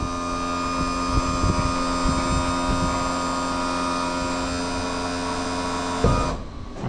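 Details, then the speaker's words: Outboard power trim and tilt on a roughly 5 m tinny, sitting about 8-10 years, new battery: even electric motor hum for about six seconds driving trim down, then stops cleanly; trim motor working. "So, fire right if I hit this key. There we go. That's working. So, we'll flick that lock out and um see if she'll trim down for us."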